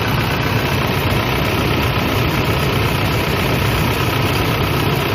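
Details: Toyota Innova 2KD diesel at idle just after starting, battery warning light had been on; cranking normal above 11 V, charging test OK at about 13.81 V. Steady, even clatter with no misses, knocks or surges; engine and charging system normal.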